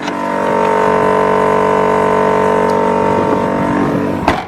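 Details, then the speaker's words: Car air suspension compressor running normally, a loud, steady fixed-pitch electric hum audible inside the car as it fills the air tank up to about 175; normal air compressor running. "right you had that loud humming so obvious you can hear that humming in the car as well so you'll see it starts to fill up the tank"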